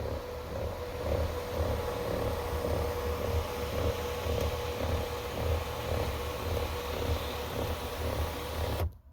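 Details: 2020 Ford Edge sunroof shade motor rattling and grinding while the shade retracts; small motor hum with even rattle about twice a second, then cutoff; motor diagnosed faulty and replaced.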